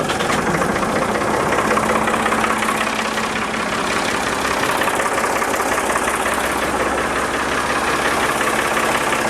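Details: Diesel backhoe after an oil change, warmed about 15 minutes: a steady, even idle clatter averaging about 75 dB with some lower peaks; a settled, healthy idle.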